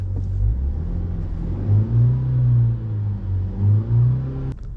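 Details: 2019 Vauxhall/Opel Astra after reluctor ring replacement: steady low engine rumble with smooth, even rev swells that rise and settle cleanly, no knocks or misses; tachometer now works again, engine runs healthy.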